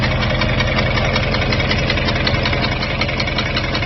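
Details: 2002 Jeep Grand Cherokee WJ 4.7, professionally rebuilt engine with 4k miles, idle with a fast, somewhat uneven tick about three per second. It began after a rest-stop restart; temperature and oil level are normal. Loose exhaust manifold suspected, not confirmed.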